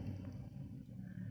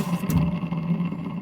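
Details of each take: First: Bare washing machine motor run on the bench for comparison: low, soft, steady hum with no knocking, rubbing or rattle. The motor spins quietly and nothing is wrong with it, unlike the noisy one. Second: Washing machine with the belt removed so the motor runs alone: rough low hum with an uneven scraping drone, showing the noise comes from the motor, not the drum shaft; possibly a motor bearing.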